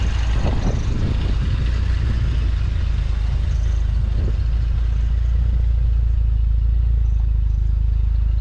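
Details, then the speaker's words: 1968 Jaguar E-Type, warming up after firing right up, 40 psi oil pressure: deep, even low idle rumble with a slight belt squeal but no knocks, ticks or odd noises; healthy engine. "sounds like we do have a little bit of a belt squeal but you guys can see no knocks no ticks no weird noises"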